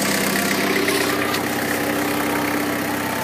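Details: 1985 Toyota 4Runner with an imported 2.8L 3L diesel (about 60,000 miles, DTS turbo kit at ~5 psi): steady, even idle with a light, regular clatter, no misses or knocks. Normal idle.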